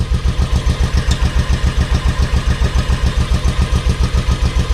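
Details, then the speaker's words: Carbureted V-twin motorcycle with pod filters, sat about a year on old gas: on full choke, slow even deep thumps around 214 a minute; rear cylinder warm, front cold as ice; running on one cylinder, dirty carbs suspected. "This rear one is the one that's running. This front one is cold as ice. This one's already warm, but it's only running on choke."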